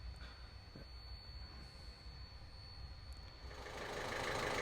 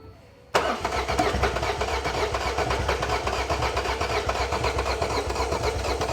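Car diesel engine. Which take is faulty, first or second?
second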